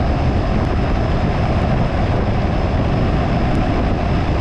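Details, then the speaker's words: Home AC outdoor unit after replacing a faulty capacitor, cooling restored: even rushing fan hum with low drumming compressor underneath, no knocks or squeals; condenser fan and compressor running normally. "then you also hear that second noise it's that real low kind of drum that is the part that's moving the freon the compressor"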